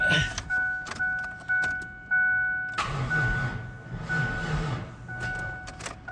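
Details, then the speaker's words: Mazda B4000 with LT1 5.7 350 swap, sat outside long, battery on 40 A charger; starter gives few sluggish fading groans, engine doesn't catch; battery judged too weak. "Not a lot. I would say that battery is a total piece of crap."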